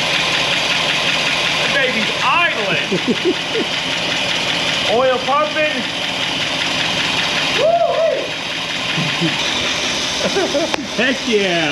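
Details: 1964 Buick Electra 225 V8, fire-damaged, just started after revival: loud raw idle with ragged puffing and chuffing over the rumble; holes in the exhaust leaking at idle.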